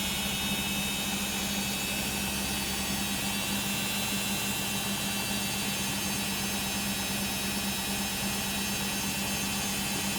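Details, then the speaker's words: Beko WM5100W 5kg street-found washing machine, plumbed in, rinse/spin test with rags: a loud constant high whirring roar with a steady hum underneath during the spin; very noisy spin, cause not pinned down. "it sounds like it's about to spin here i'd better stop talking it's going to get loud"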